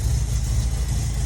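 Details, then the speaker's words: Ford TE Cortina after a new carburettor and tightened fan belt (squeal gone), new exhaust, not yet revved: low, smooth, quiet idle with an even beat and no squeal; running cleanly. "motor is like silky smooth, it just sounds crisp. Actually, I haven't even revved it, but it sounds so quiet."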